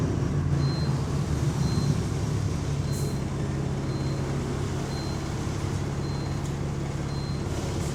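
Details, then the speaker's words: GAL E141 London diesel bus, route 118, under way with turbo whine: deep heavy bass drone from exhaust, steady low rumble over road noise; exhaust leak suspected, not confirmed. "Shit, that bass, man. That bass is strong. Fucking hell. That bass from the exhaust."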